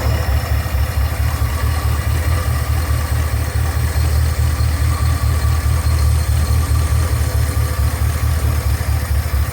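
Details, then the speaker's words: 1973 Ford F-250 with glass-pack exhaust, first run in 18 years: steady deep V8 idle, even low burble about two pulses a second, no stumbles; normal idle after earlier smoke stopped. "that sounds better well guys this is going to end the will it run on the f250"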